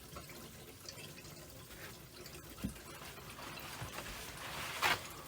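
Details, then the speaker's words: Whole-house water filter in crawl space after filter change, valve opened to refill: faint, soft trickle and rush of water from the carbon filter into the pipes; normal flow. "You hear it going from the carbon filter into the pipes"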